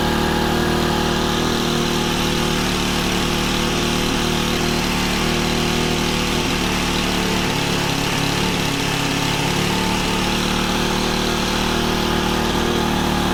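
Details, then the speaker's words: Honda FG110 with GX25 engine, new carburetor, previously ran only on half choke, idle turned up high to warm it before tuning; steady even fast idle with no surging or bogging; normal fast idle. "So I'm going to turn the idle up pretty high, and then we'll lower it as we tune it. This is going to help get it warm too."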